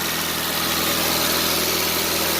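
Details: 2000 Mitsubishi Lancer Ralliart after no-start repair (no power to injectors); steady, even idle with constant low hum, no stumbles or dips before cutting off; idles fine.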